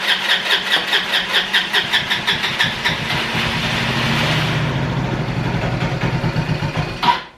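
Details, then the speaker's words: Free roadside ATV quad with unreliable start button that overheats, not drawing fuel from tank, quick start used: uneven starter churning, brief rough surge that never idles, then drops off; cranks but will not start. "See, I think this button is funky because if I crank it for too long, then the button overheats and then it doesn't do anything. Doesn't quite have enough to pull the fuel out of this tank."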